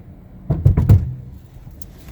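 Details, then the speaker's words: 2015 Hyundai Genesis Coupe GT, parked overnight after wet driving, handbrake off, pulling off in first gear: a couple of heavy low thuds from front and rear brakes as they release; seizing suspected, cause unconfirmed — brake release thud. "so you caught that that was front and that was back brakes that looked to have been seized so I'm not quite sure why it's doing that now"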